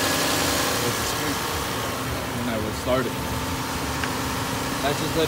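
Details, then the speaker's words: Engine at settled, fairly quiet idle with a soft steady rumble after the belt and pulleys were sprayed; the loud belt squeal at startup went away quickly and the belt now runs quietly. "should make a loud squeal when I turn it on that went away pretty quick"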